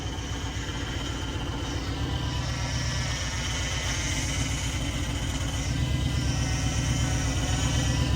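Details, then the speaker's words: School bus with newly installed power steering; steady high scream over a lumpy idle: power steering pump whine, cause unknown. "but we're going to start this thing as you can hear it's screaming all"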